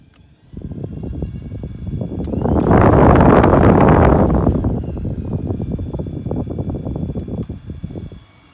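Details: Ford Focus ST running with a steady pulsing rumble while a loud rushing surge swells and fades from the A/C; unusual air conditioning noise.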